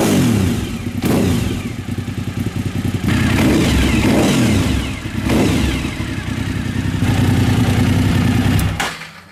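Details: 1999 Suzuki TL1000R V-twin project bike with several known problems: blipped repeatedly to keep it alive, never settles to a steady idle, and dies away at the end; poor idle.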